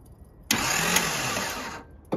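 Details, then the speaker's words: 1978 Datsun 280Z L28 inline-six, newly hand-wired starter circuit, spark plugs out; short burst of fast, even high-pitched whirring as engine spins freely, no grinding or clicking; starter cranks normally. "so you see how simple the starter motor circuit is when we flick that button it worked the first time and it worked perfect"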